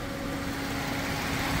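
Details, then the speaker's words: Suzuki Karimun Wagon R with double Blackcore, after Blackcore cleaning and a combustion-chamber clean: a low, even idle near 700 rpm with only faint, light injector ticking over a calm hum, smooth and healthy. "nah ini setelah selesai RPM hanya sekitar 700 kemudian mesin super halus mesin super halus hanya terdengar suara injektor"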